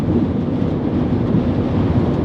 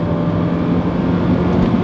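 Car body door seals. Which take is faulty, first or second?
second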